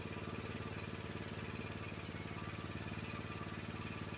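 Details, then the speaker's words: Honda HS724 snowblower, owner reported hard starting in cold weather and rough running, after choke adjustment and idle and fast throttle set with a tachometer: small single-cylinder holding a steady, even beat, running smoothly. "so now my my uh my throttle my idle speed and my throttle is uh fast throttle is correct and I'm going to start up the engine and show you"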